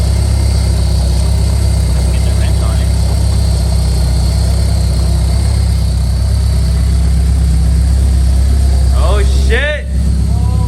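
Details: Honda S2000 AP2 with a V2 Kraftwerks supercharger and new plugs at about 0.030 gap, run by a tuner on first startup before bleeding: a steady, even low rumble at idle with no misfire or knock. Normal idle.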